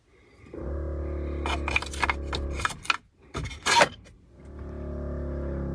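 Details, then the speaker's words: 1981 Lectra Motors Lectra 2+2 electric car, junkyard find, 12-volt systems being tested: the brake vacuum pump's steady electric hum stops briefly amid clicks and rattles, then restarts; it builds vacuum and stops once built up, which is normal. "vacuum pump must build up pressure and then stops once the pressure's built up"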